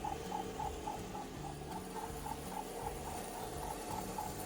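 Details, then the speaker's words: Car whose owner replaced the belts themselves: sharp, high chirps about three to four a second over the running engine, likely from the accessory drive belt, though the cause is suspected rather than confirmed. "Customer changed their own belts, but now says that their car sounds like a pigeon."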